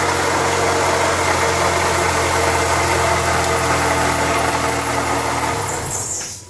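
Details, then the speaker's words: 2008 Toyota Yaris at start-up and idle: steady whirring, gritty hum over the idle fading as engine shuts down; shop diagnosed water pump; water pump bearing noise. "so we have horrible noise going on there so the shop are saying that it's a water pump er so we're going to try to fix it on our own"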